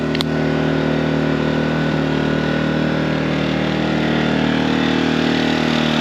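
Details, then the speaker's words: New Harbor Freight Predator 2000 W (1600 running watt) generator, oil topped up to full, at full speed during a walk-around; even, steady high-speed drone with no knocks, surges or hunting; runs smoothly. "I mean, really not too bad. I'm I don't know 20T away. Maybe 25 ft away. Does not sound bad at all."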